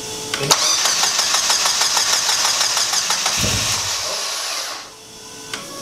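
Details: Turbocharged car, first start after the engine harness was put back in: it catches and runs unevenly with a fast, patchy ticking pulse, then stumbles and fades out. Codes show the turbo bypass solenoid open (valves removed) and wastegate solenoid faults; the cause is unconfirmed.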